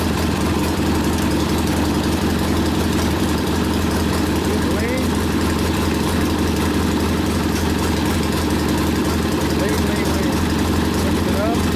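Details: Rebuilt 1972 Harley Sportster XLCH Ironhead after case repair, restarted with air cleaner refitted, good oil pressure: steady loping V-twin idle, crisp even firing, no knocks or rattles, slightly high; idle to be lowered after break-in; normal idle.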